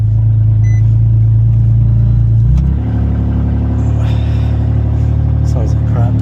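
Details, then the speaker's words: Infiniti FX37/QX70 with the Y-pipe removed and stock exhaust behind it, run before fitting an ISR Y-pipe (originally from a 370Z) meant to cure an exhaust rattle; open exhaust gives a loud, deep, droning, unmuffled rumble that steps up in pitch. "all right so I got to move the car a little bit to the middle let's see how it sounds without the white"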